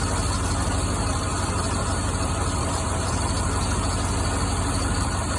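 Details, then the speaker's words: C5 Corvette with poor idle, misfiring on multiple cylinders: rough uneven idle with irregular sputters as spark plug wires arc against the header tubes; misfire from spark plug wire arcing. "You got a misfire right here. Spark plug wire arcing against the header. Yep, every time it does, there's a sputter."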